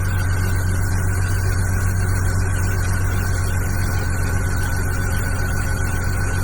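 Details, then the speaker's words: BMW E46 330Ci convertible idling low with an uneven, lumpy beat and bad shaking; a mass sensor code keeps appearing; misfire. "And it's still misfiring. It's firing, but it's not a real misfire. It's just I don't know why it's shaking badly."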